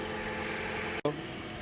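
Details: 2018 Chrysler Pacifica idling right after a jump-start from a Toyota Corolla for a dead battery: steady, even low hum with no knocks or misses apart from a brief dropout; normal idle.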